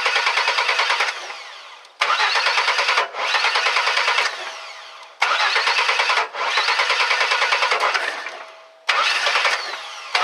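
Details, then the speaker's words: 2001 Chevy S10 4.3 V6 cranking: uneven bursts, stumbling and popping without starting, sounding out of time; cause a moisture-shorted distributor cap crossfiring, not jumped timing. "and there you go you can hear that it sounds like it's almost out of time a lot of people think well maybe a jump time uh maybe the distributor uh jump time"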